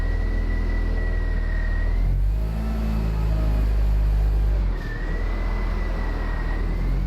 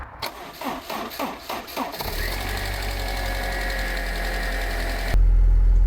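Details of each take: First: Abandoned, long-stored Land Rover Freelander after first revival: steady low engine rumble with faint even whine, no ticking or tapping; running really well, engine sounds sweet. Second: Abandoned, long-stored Land Rover Freelander, fuel pump fed by a bodged supply, no coolant in: starter cranks in bursts, then engine catches and runs rough and uneven; shut off quickly due to no coolant.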